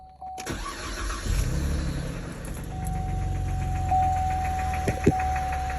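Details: 2012 Chevy Camaro RS 3.6L: engine cranks and settles into a rough idle with a faint regular tapping about four per second over the low rumble; knocking of unknown origin.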